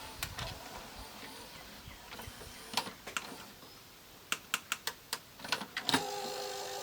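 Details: Panasonic PV-V4521A VHS VCR bought at auction, trying to play an Apollo 13 tape: faint whirr with irregular sharp clicks, about two or three a second, as the deck tries to load; mechanism isn't engaging right.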